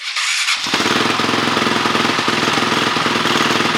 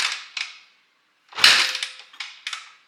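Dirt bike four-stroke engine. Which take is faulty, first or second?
second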